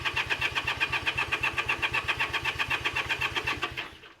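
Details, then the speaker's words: Honda CA78 305 Dream, unridden for 14 years, choke on, throttle stuck: steady starter cranking at about four pulses a second, never firing. Spark confirmed but no fuel reaches the gummed carburettor. "yep nothing yet we know we have spark I don't have fuel to"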